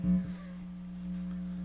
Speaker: I noticed that it only does this buzzing I think you can hear it the frequency it only does it when the Bluetooth speaker is actually plugged into the outlet the power electrical outlet